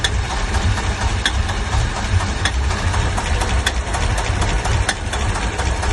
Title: Стук в двигателе, двигатель стучит